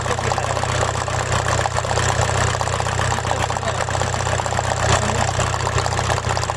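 Uneven, lumpy idle with an irregular low throb and occasional stumbles, a cylinder still misfiring. Cause suspected, not confirmed.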